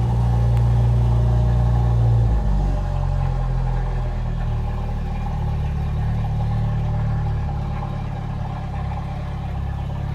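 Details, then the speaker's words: Jeep YJ Wrangler, recently freed from a seizure, revved with no exhaust after the catalytic converter. Deep, raw, unmuffled drone and blat swells with revs. Very loud from the missing muffler. "that's the next project is to fix the exhaust there's a bunch there's a bunch of exhaust parts and muffler in the back but it doesn't I mean it needs an exhaust it's just loud"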